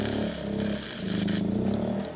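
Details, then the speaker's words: Bestarc flux-core MIG welder turned to its lowest setting, 50, powered by a generator indoors out of the rain. The engine drone sags, surges back and wavers as it tries to hang on: still overloaded. "Now, that's just too much for that. It tried to hang on for a minute, but that won't work."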